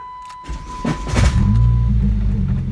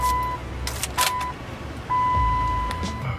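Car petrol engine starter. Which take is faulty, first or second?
first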